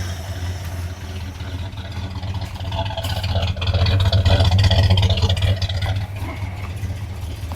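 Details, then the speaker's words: Tired 1976 Dodge 318 V8 with low oil pressure and a bad exhaust leak idles lumpy and surging, running very rich as residue burns off; owner suspects a bad oil pressure sending unit. "Uh she's running very fat. Very rich. Very very rich. I guess all this garbage is uh just burning off."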